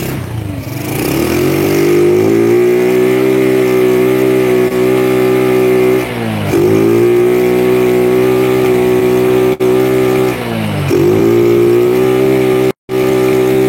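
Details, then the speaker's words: Old Honda Grand motorcycle with a rebuilt engine that won't rev high: revs climb and hold flat at one ceiling, dip, then return to the same limit. Cause suspected; a CDI unit is being evaluated. "motornya ra gelem digas digas gelem tapi ndak mau tinggi"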